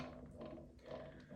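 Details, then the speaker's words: Reassembled PRM Newage 40M2 gearbox from a Benford Amida site dumper, turned slowly by hand after rebuild: soft, even ratcheting whir with no grinding or knocking; gears meshing nicely as they should. "That sounds nice. That sounds like it's supposed to. These gears are meshing nicely."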